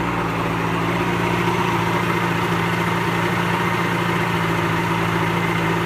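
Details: Pelin Nomad boat's old outboard, not quite cold, on fast idle with lever forward after a crank; steady, even drone with no misses, knocks or hunting, normal smooth running; only a drip from the telltale out of water.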